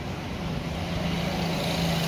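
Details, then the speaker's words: Honda Dream Yuga single-cylinder after piston boring, new rings, piston, cylinder kit and head valves and guides, silencer fitted: steady, even smooth idle with no misses or knocks; former white smoke stopped, healthy. "Bike हो गई एकदम smooth और smoke वगैरह बंद हो चुके हैं"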